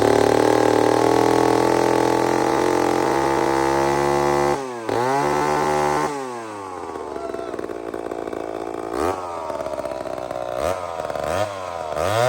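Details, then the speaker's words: Old chainsaw with round chain, first cut in years: at full throttle burbles and four-strokes off the wood, then pitch drops and clears as chain bites; safely rich carburettor mixture. "So friends, I can hear it's good. I can hear it. It actually four-stroked until it bit wood. That's a good sign."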